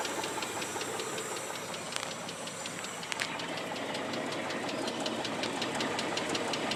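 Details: Mitsubishi 3000GT engine ticking lightly and evenly near three per second while running, starting within 60 miles of driving; owner fears rod knock and hopes for lifter tick, cause unconfirmed.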